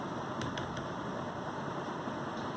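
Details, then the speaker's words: Recent Lenovo laptop after dust cleaning of fan and heat sink, which had caused crackling at startup and overheating: soft, even airy whoosh with no crackle or rattle; fan spinning smoothly and quietly, normal. "देखो laptop को बिल्कुल silence हो गया, कोई sound नहीं है, उसकी fan बिल्कुल स्मूथ मूव कर रहा है।"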